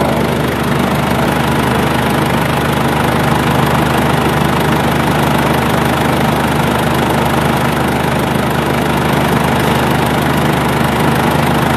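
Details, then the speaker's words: Ford Everest diesel that won't rev past 2,000–2,500 rpm, with heavy black smoke and no overtaking power: steady diesel clatter with no turbo whistle building. The turbo actuator rod didn't move when revved past 3,000 rpm; the turbo is not working. "มีปัญหาที่เทอร์โบนะครับเดี๋ยวเราจะจัดการแก้ไขอีกคันก็มีเว้นก็เช่นกันเทอร์โบไม่ทำงานนะเทอร์โบไม่ทำงาน"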